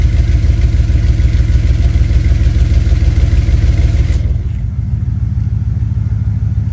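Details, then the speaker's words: 1996 Dodge Ram 1500 5.9 Magnum V8 with a new Jones Full Boar 2-chamber muffler: deep, even low rumble with steady pulses and no rattles or leaks, sounding more opened up; normal exhaust note. "Definitely sounds a lot better. A lot more opened up."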